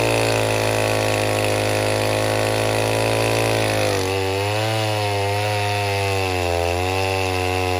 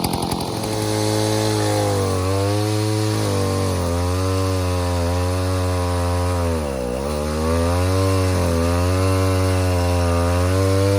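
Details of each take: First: 070 clone chainsaw with a 42-inch bar, cutting oak firewood on its first real use: a steady high buzz sags and wavers once the chain bites, and the saw bogs and won't reach the wanted rpm. The owner blames a finicky, poorly tuned carburetor. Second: 070 clone chainsaw with 42-inch solid bar and chain, first use, cutting white oak firewood: strong, even two-stroke howl sags briefly under bar load and recovers cleanly; pulls well, runs healthy, carburetor thought to be mostly figured out.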